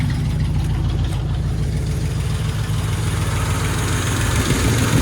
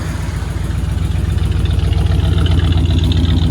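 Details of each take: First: 1968 Cadillac DeVille V8 cold start after an oil change (possibly slightly overfilled): rough, fast steady idle with a heavy low rumble. The automatic warm-up throttle sticks and the carburetor needs adjusting. Rough at first, smooths once warm. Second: 1968 Cadillac DeVille V8, after an oil change (possibly slightly overfilled), warmed up after a rough cold start with a sticking automatic warm-up throttle; heard at the tailpipes: deep, steady, even burble at warm idle, no misses or knocks. Normal warm idle.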